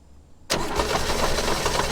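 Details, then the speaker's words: 1969 Chevy Bel Air six-cylinder barn find after sitting 10 years, with the fuel pump suspected not working; kept running on sprayed starting fluid and poured gas, it catches abruptly and runs rough and uneven; engine runs only on starting fluid. "I don't think the fuel pump is working, so what I'm going to do, I'm going to grab the starting fluid, pour a little bit of gas in it to get it started, and then just keep spraying it."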